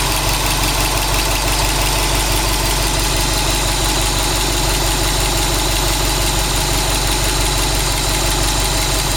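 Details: Subaru WRX STI after engine replacement, new engine at 800 km, 5W40 oil, 2 bar oil pressure, oil 85°C, air 21°C, all original parts, no tuning: idle with a quick ticking about three times a second; abnormal noise, cause unclear.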